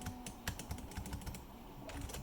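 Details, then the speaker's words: Risky Board 70 keyboard with TPU feet, no stabilizers fitted yet: light key clicks with heavier hollow thumps from wobbly unstabilized space bar, which often fails to register when hit in the far corner. "oh these space keys without stabs is really killing me"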